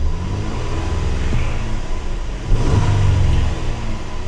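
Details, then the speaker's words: Small truck at a repo auction lot, smoking; under full throttle the low rumble climbs only slowly and briefly before falling back, laggy and way down on power, cause not confirmed: sluggish revving. "give her another little rev it's just so laggy it it seems like it's way down on power"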